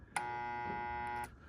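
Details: InSinkErator garbage disposal that turns freely by hand: a steady electrical hum for about a second, then silence, and the motor never spins up. Still hums with the primary starting circuit connected directly. Starting winding suspected of not engaging, not confirmed.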